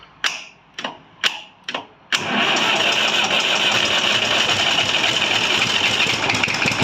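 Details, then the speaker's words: Massey Ferguson 35 diesel tractor after overhaul, cold start without the heater and with a little throttle, fuel system bled and two new filters fitted: four cranking bursts, then it fires and settles into a steady, even run with no knock. A healthy cold start. "right I'll do a cold start with no here uh so I give her a little bit of throttle I've already bled up the system"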